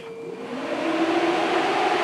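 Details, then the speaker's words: 2017 Polaris RZR XP 4 1000, engine off at key-on: a steady whir climbs and holds as the cooling fan runs at full speed. Codes for coolant/engine temperature sensor voltage high and a speed sensor. "the fan immediately kicks on at full speed so we know we have an issue with the coolant temperature sensor something or other"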